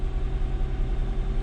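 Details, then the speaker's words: Mercedes CLK 320 V6 on test drive after new coil pack and spark plug wires for cylinder 5 misfire: steady low drone, no chopping or misfiring, no check engine light. "yeah, right now it runs smooth. It's not chopping or anything, not misfiring."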